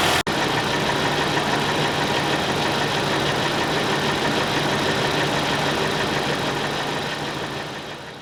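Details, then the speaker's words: 2017 Lexus NX200t turbo, 66k miles, oil unchanged until 46k, burning heavy oil after turbo problems: steady idle with a harsh, rapid knocking rattle at engine speed. "I hope it is clear in the video that that engine does not sound healthy at all"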